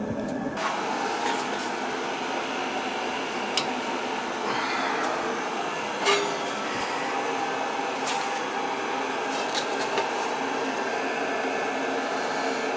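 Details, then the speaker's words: Riello oil burner after annual preventative maintenance service, fired up: steady even roar of fan and flame with soft whir, no pulsing or rumble; burning clean with no smoke, normal operation. "fire it up see what it sounds like ah nice and clean no smoke"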